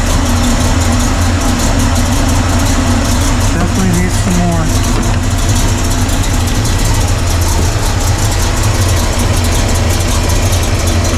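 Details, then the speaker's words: Carbureted V8 (1968 Pontiac LeMans or Chevy C10) restarted after advancing ignition timing: loud, slightly unsteady idle with a hissing, sucking edge over the rumble. The PCV valve had popped off, causing a massive vacuum leak. "Um, the PVC popped off. Obviously, that was causing a massive massive leak in noise."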